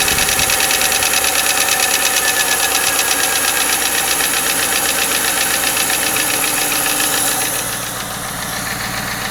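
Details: 1995 Lincoln Mark VIII LSC, Ford 4.6 DOHC V8 at idle: quick, steady metallic tapping over the engine note; owner unsure if it is lash adjuster tapping or piston slap/rod knock.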